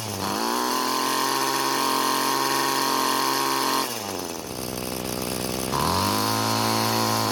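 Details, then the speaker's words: Free curbside Bolens two-stroke string trimmer with a four-string-end head, after cutting off two string ends: high steady buzz sags briefly then climbs back; engine speed clearly rises, so the head's line count was overloading the engine. "there was a definite increase in engine speed just getting rid of half the string ends"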